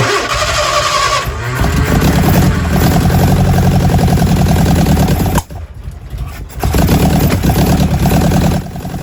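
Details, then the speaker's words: Lotus Elan, 3 years off the road, just after repositioning distributor to point at number one post; engine runs lumpy, stumbles and nearly dies before picking up, timing still to be checked with strobe: rough running. "well moving the distribut certainly seem to work running here it's running pretty rough so now I need to just check the time with the timing marks in the front of the engine"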